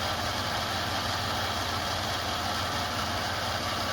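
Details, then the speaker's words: Toyota 4Runner idling after a coolant leak repair: a steady, even hum with no knocks, rattles or ticks. A rattle heard earlier was thought to be a stuck piece of plastic, which may still be there or may have been chewed up. Normal idle. "we don't hear anything rattling around. So it's really hard to tell if that piece of plastic is still in there or if it just got chewed up."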